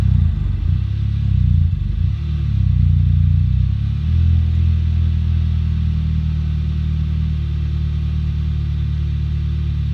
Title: 2008 Audi A3 1.8 TFSI cold start engine shakes rough idle and misfire